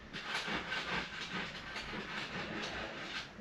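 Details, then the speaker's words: Ford Focus/Fiesta PowerShift DPS6 during ForScan shift drum adaptive learning, brake held: repeated whirring bursts as the drum shifts back and forth through all gears; relearn passes, no error detected, normal. "and you can hear it shifting back and forth the shift drum is learned no air is detected"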